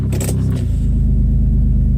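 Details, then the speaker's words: Toyota 4Runner after new ignition coils replaced to cure P0300 misfire, previously worse in rain: after brief jingle, engine settles into even, steady idle in gear with no stumble or miss; normal smooth idle in gear. "love it nice and smooth"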